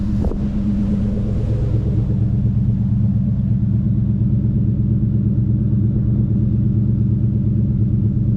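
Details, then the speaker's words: Red Mustang V8 after the air filter and MAP sensor were cleaned, following a choppy, popping idle; now a deep, even burble with no stumbling, though the owner is unsure whether the cleaning or driving fixed it. "I don't know if it was that that fixed it or just driving a little bit fixed it but it sounds really smooth now the Idols are real smooth"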